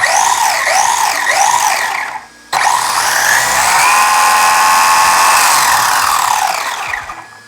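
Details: WLtoys 124007 RC car after its differentials were filled with grease, driven forward: electric motor whine rises and falls smoothly, clean and steady with no grinding or clicking; the drivetrain sounds healthy.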